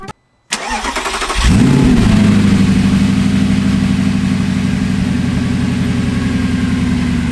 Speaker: now as you can hear she doesn't idle too well i don't know if you can just hear she's a little lumpy on idling